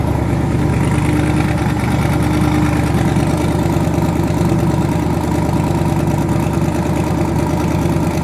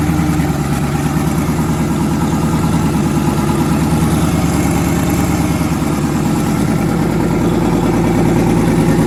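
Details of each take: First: Twin-turbo V8 truck, now running on eight cylinders instead of seven after an earlier dead cylinder was fixed (rockers suspected): deep, even idle burble with no missing beat or stumble; all cylinders firing, normal idle. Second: Twin-turbo engine, first start after conversion, oil pressure near 70 psi, head gaskets done last year: loud lumpy idle skipping regularly every cycle, one bank's pulses uneven; back cylinder dead; misfire.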